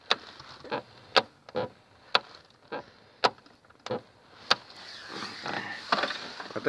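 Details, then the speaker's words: VAZ 2110 (Lada) door: sharp hollow knocks every half second to second from inside the door over bumps, caused by an unscrewed loose part rattling; fixed by screwing it back in. "хрень была отвернута я когда едешь по кочкам туда-сюда дребезжит так что приворачивается"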